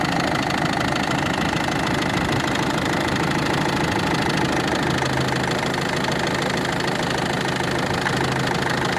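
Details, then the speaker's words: Ford Focus 2, 1.6 diesel, idling with a sharp, distinct tick about three per second in time with the engine, a knocking that had moved up and become clearly audible from above; source unknown. "ух да ну здесь отчётливо стока этот отчётливо цокает конкретно"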